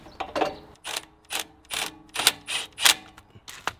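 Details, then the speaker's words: Reel mower cutting unit after being jammed into concrete: sharp metallic rasping bursts about twice a second, once per reel turn, when reel motors run; reel catching a high spot on the bed knife, which needs grinding. "a high spot on the bed knife and when you run the motors on the reels you can hear it makes a loud racket"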